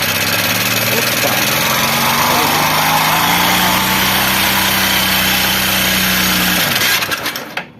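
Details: Honda Bros 150 single-cylinder at idle, noise began right after a clutch disc replacement: loud, fast metallic clatter about four taps a second until shut-off; worn rocker arm rollers found.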